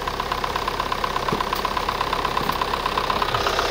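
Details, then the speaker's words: Chevrolet Sonic 1.8 petrol at cold idle: fast, light ticking drum of about three taps a second, mainly when cold; persistent exhaust camshaft code (P0366), surging idle, new cam sensors, unchanged by PCV valve replacement; cause unconfirmed, camshaft suspected. "Сейчас на холодную завели. Она именно на холодную в основном барабанит."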